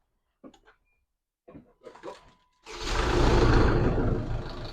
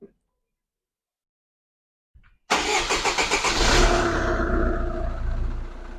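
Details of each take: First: A SsangYong Kyron 2.0 diesel starts after a couple of clicks, and a quick, steady rattle of about four per second rides over it. The timing chain is slack because the hydromechanical oil-fed tensioner isn't pumping up; the rattle is quieter because the engine is already warm. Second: SsangYong Kyron 2.0 diesel after timing chain tensioner replacement and partial oil change: a few quick cranking beats, fires at once and settles into an even idle with no chain rattle; normal start and idle.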